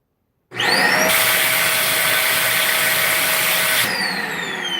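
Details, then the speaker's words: Hoover Spin Scrub carpet cleaner runs with a steady motor whine, then a loud rushing roar cuts in for about three seconds and drops away; the intermittent noise has an unknown trigger. "Okay. So, it's runs like normal and then something triggers that."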